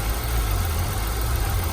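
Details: Buick LeSabre Limited 3.8 V6, about 123,000 miles, damaged radiator or condenser from going off the road: smooth, steady low idle with an even beat and no ticks, knocks or misses; healthy engine.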